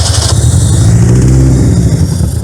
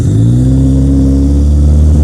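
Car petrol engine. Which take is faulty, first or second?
first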